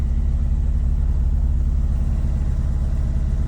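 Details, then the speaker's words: Mitsubishi Eclipse 2G (4G63 community) that would not start after being cleaned, started after fuel pump priming: deep idle with uneven pulsing beat, two or three lopes per second; reportedly running on only a couple of cylinders, cause unconfirmed; rough idle. "But the guy says that it's only running on like a couple cylinders or some shit. It sounds like a Subaru."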